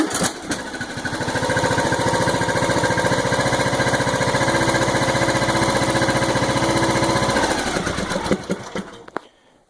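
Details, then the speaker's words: John Deere small engine after a carburetor rebuild: the single chugs at a steady, fast, even beat with no misses or surging, and there are no fuel leaks. "now fuel leaks and it runs that's the best part"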